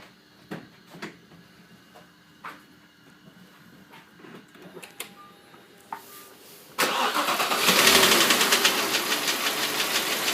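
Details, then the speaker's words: 2005 Audi A6 C6, 2.4 BDW engine, bought with knocking that the previous owner blamed on hydraulic lifters: engine catches after a few taps and settles into a fast, steady knock near four per second at idle; cause under investigation. "Стучит двигатель. Сегодня задача определить, что это, по возможности починить."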